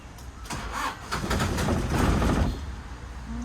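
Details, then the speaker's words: Toyota Qualis diesel under rebuild, after refuelling and hand-priming the diesel pump: starter churns in uneven bursts, about three to four turns a second, but never fires; crank no-start, battery suspected dead, not confirmed. "Start ಆಗ್ತಿಲ್ಲ ಗಾಡಿ guys ಯಾಕೋ diesel ಹಾಕಿದಮೇಲೆ vehicle start ಆಗ್ತಾ ಇಲ್ಲ ಬ್ಯಾಟರಿನು dead ಆಗಿದೆ ಅನ್ಸುತ್ತೆ"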